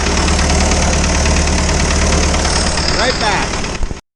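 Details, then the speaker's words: Isuzu 4BD2T diesel in a Spryte snowcat, newly fitted cylinder head after an exhaust-to-coolant leak repair; loud idle with busy irregular clatter about four knocks per second, no coolant bubbles yet; owner suspects one valve needs adjusting. "so far no bubbles yet sounds like i need to adjust the valves a little bit better"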